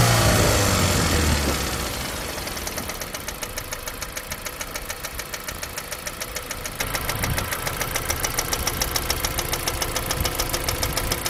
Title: 2015 Jeep Compass 2.4l 4x4 ANNOYING Ticking Sound